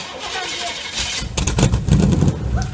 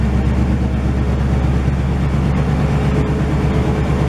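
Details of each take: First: 1968 GMC truck, first start attempt in 20 years: heavy, low, labouring crank with a rough uneven rumble that nearly catches but never settles into a steady run; fuel pump cycled and it started later. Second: 1968 GMC truck started for the first time in 20 years after a lot of work: a deep, loud, even V8 idle with a steady low beat near three pulses a second and no knocks or misses. It runs well with only minor leaking.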